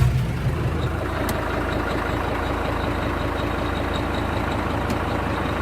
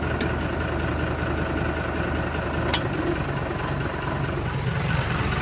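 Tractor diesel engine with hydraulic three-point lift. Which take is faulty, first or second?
second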